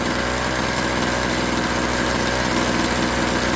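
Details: Craftsman 21cc Bushwacker two-stroke hedge trimmer, warm restart after sitting about a year: fires right up, then fast, even idle buzz holding steady with no hunting or dying; runs and operates fine.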